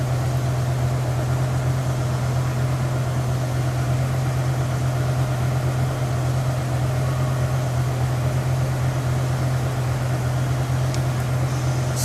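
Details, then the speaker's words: BMW E60 M5 idling: deep hum with an uneven, lumpy pulse; misfire codes 300, 301, 305 (multiple, cylinders 1 and 5), reduced power mode; passenger-bank problem suspected. "to as a cylinder to misfire we go 305 which should be cylinder 5 misfire cylinder 5 misfire"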